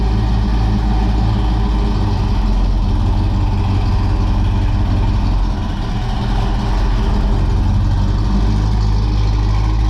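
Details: 1978 Pontiac Trans Am V8, cold-blooded, old mufflers before Pypes swap: deep lumpy rumble swelling under revs with heavy low droning exhaust tone; drone unbearable in cabin with T-tops in and windows up.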